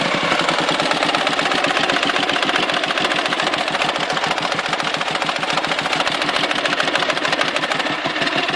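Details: Dnepr motorcycle twin at idle: sharp, rapid knocking from inside the engine over a thin exhaust note. The knock is intermittent; when present, power drops and the carburetor spits fuel, and it vanishes before stalling or at high rpm. Cause undetermined.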